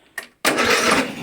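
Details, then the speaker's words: Hayter Heritage ride-on tractor mower, petrol, stored unrun for eight years, free non-runner: sharp click then about a second of starter spinning engine over; it fired straight up but wouldn't switch off on the key; engine cranking. "all right so that was a bit weird so fire straight up fantastic wouldn't turn off on the key"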